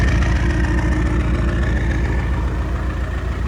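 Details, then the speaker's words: 1995 Land Rover Defender 90 300Tdi diesel, Stage 2 turbo tuned to 18 psi boost (about 200 hp), idling unloaded with boost gauge at 0: uneven chop about three and a half pulses a second with slight lope; rough idle, cause unknown. "And you can hear it sitting, chopping a little bit at"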